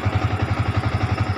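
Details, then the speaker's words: Yamaha Vixion with an intermittent sudden-stall and no-start complaint: it starts on the electric starter and settles to a steady, even single-cylinder idle with no misses. The cause is a weak battery that holds charge but drains quickly; the fix is a new battery. "oke nyala dengan S tidak ada kerusakan di sini di mesin yang lain tidak ada kerusakan"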